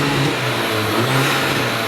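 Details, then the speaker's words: High-mileage VW MK5 Golf GTI with hybrid turbo, after fitting a Forge 11 psi actuator to fix no boost: strong, steady rev with a full, clean pull and no flutter; turbo now boosting properly. "you can really hear it boosting a lot better"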